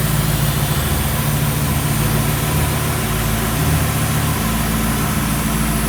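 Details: V8 on its maiden voyage around the yard after idle was brought down about 200 rpm: deep, steady rumble with no hiss, stumble or misfire; runs good, transmission shifted well, motor sounds healthy.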